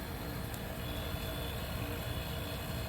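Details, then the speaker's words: 1973 Westinghouse 25 pint dehumidifier, R12, just acquired; low, even hum, no knocks, rattles or wobble, fan motor running smooth and balanced, though it later starts slowing and needs oiling. "so this will be a perfect use because since it's nice and quiet it's uh very smooth"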